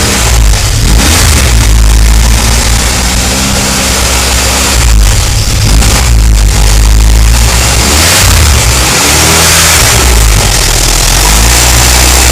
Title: Loud engine noise